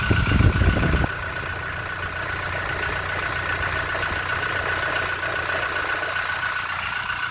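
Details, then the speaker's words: Toyota Innova Reborn diesel, cold engine just started, oil filler cap open: steady, slightly rough cold idle with no thumping or knocking from the engine; normal cold idle, expected to smooth out as it warms. "kita dengarkan ya ini kondisi mesin Masih dingin tidak ada suara bunyi keluntung-keluntung kita dengarkan"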